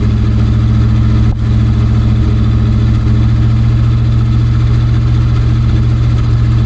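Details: 1965 Dodge A100 van, V8 sat for years, on choke with a manual fuel pressure regulator, low on fuel and running on old varnished fuel: low idle, fairly steady with a slight uneven lope; rough idle.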